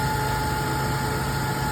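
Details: 2002 Toyota Tundra 3.4 V6 5VZ-FE with an intermittent misfire for a year and a half, after its seized 22-year-old spark plugs were replaced with new ones and a thread repair sleeve went into cylinder 2. Now a steady, even, smooth idle with no misses.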